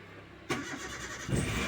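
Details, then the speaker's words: Car started after the FI fuse was temporarily replaced, following a wrong fuse replacement: short crank, catches at about 1.25 seconds and settles to an even idle; normal start. "Alhamdulillah ya, mobil sudah hidup ya, alhamdulillah."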